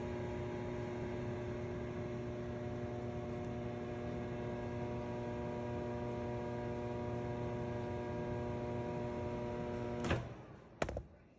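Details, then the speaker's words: Whirlpool microwave running but not heating: loud, steady buzzing hum, a distinctive noise usually from the magnetron. "so you guys heard the noise that microwave was making that's a very distinct noise uh that's usually is the magnetron"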